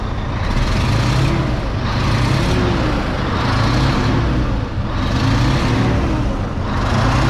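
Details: D12 truck diesel revved from idle and let back, heard from the cab: harsh ticking chuff/knock rising with revs from a cracked, rattling EGR pipe, earlier misdiagnosed as an injector problem; drivable, may cause cab fumes.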